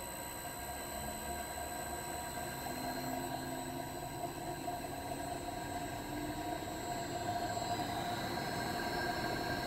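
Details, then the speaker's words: Drill press motor on a VFD, run from 16.5 Hz up toward 60 Hz (wall-speed): thin steady electric whine rising in pitch as speed increases; motor runs clean. "That's spinning nice and slow at 16.5 hertz. And I just come over here and slowly raise it up. You can hear the motor spinning"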